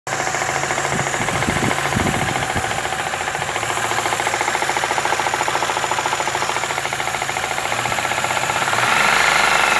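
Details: Daewoo Lanos 1.5 engine at idle: a steady, fast metallic knock rides over the idle and keeps pace with engine speed; engine knock, cause not yet found.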